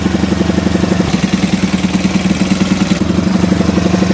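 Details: Alfa moped single-cylinder idling after valve clearance adjustment (set with 0.05 mm feeler): quick, even putter, steady rhythm, no tapping from the valve cover; sounds healthy.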